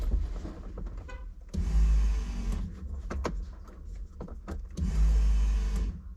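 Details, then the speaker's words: 1989 VW Fox abandoned for years, key on after fuel system rebuild: two low hums about a second long with gaps, gurgling, high-pressure pump noisy; fuel pump priming and running, though little fuel delivered at first. "It is pumping. And I can hear it gurgling. And we know the high pressure pump is pumping cuz it's noisy."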